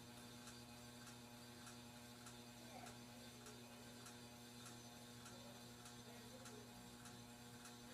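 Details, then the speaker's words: 42-inch Aloha Breeze hugger ceiling fan on low speed: steady low buzz with faint ticks about twice a second, plus bearing noise and scraping of unknown source. Buzzing fan motor. "his fan does have a lot of bearing noise too and it buzzes a lot"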